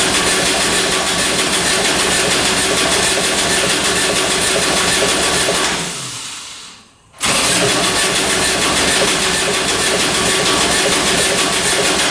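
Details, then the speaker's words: Kubota RTV900 diesel UTV (listed as 2007, also called 2009), bought at auction, earlier blowing white smoke; starter cranks at about four beats a second, pauses, cranks again, never fires; fuel reaches the filter but owner suspects no fuel getting through: crank, no start. "All right, she doesn't want to go. We must not be getting fuel."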